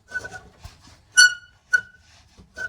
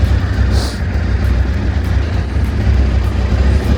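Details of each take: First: Honda VFR 800Fi 5th-gen V4 motorcycle, crashed bike being readied for a trip: short high-pitched squeaks, four chirps in three seconds, from old, stuck, rusty, dry front axle bolts. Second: Crashed, recently revived Honda VFR 800Fi 5th-gen V4 motorcycle on first test run: deep, steady burble holding an even idle with no misses or knocks, music over it; normal healthy idle.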